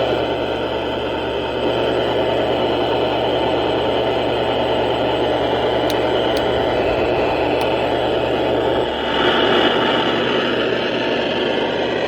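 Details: Tempest multi-band radio from a scrapyard: constant hissing static with a low hum and faint warbling whine, present even with the volume off. Cause unclear, and the batteries tried were dead.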